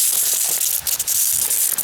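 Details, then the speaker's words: Drip irrigation line under pressure gives a steady sharp hiss with spitting crackles and no engine underneath: water sprays from a leak at the bottom of a line joint. "see there look at that that yep it's right at the bottom it's right at the bottom of there and if I had a plug I could plug it"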